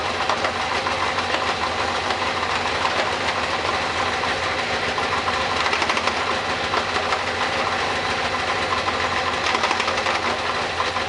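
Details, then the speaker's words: Kawasaki ZZR 600 parts-bike engine running on center stand, rear brake held, shifted into second gear: harsh, gritty crunching grind stays constant; second gear is gone. "There's second gear. How crunchy it is."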